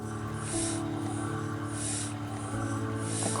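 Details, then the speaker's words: Unimom breast pump with faulty backflow protector, large membrane moving crooked and unevenly: motor hums steadily while a sharp, significant hiss bursts with each suction cycle, an air leak; backflow protector needs replacing. "here's an example of a faulty backflow particular unit firstly you can see inside the large membrane is a little bit crooked as it comes up and down it's not very even and secondly you can hear a hissing sound it's quite significant"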